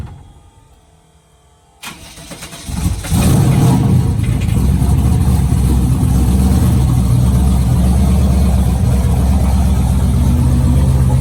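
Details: Race car after fuel pumps were wired on, pumps not shutting off: fires after a few cranks into a loud, fast, rough idle with a steady knocking under the exhaust; new knock not present before.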